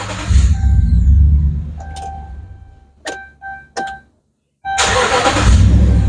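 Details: 2011 Dodge Ram cranks steadily, a few clicks, more cranking, never starts; fuel pump suspected, loaded circuit test shows ground fine but about 2 V drop on the power feed, bad power feed to be traced toward fuse box.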